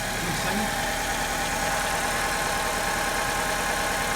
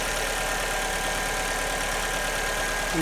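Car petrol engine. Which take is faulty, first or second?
first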